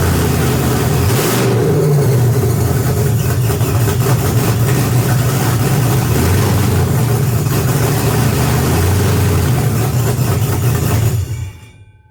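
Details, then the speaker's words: BMW E46 with M62TUB44 V8 conversion at first start, after the serpentine belt, harmonic balancer and alternator were fitted and fuel and oil pressure were confirmed. The V8 catches with a deep steady burble, revs up and settles cleanly before shutting off: a normal start and revving. "yeehaw it works you"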